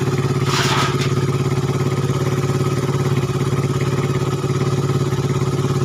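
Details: Suzuki Satria FU 150 cc after correcting a cam chain replacement with wrongly set timing (top): even, steady putter at a settled idle, regular firing, no roughness or misses; before repair idle was erratic, rough, weak, fuel-thirsty.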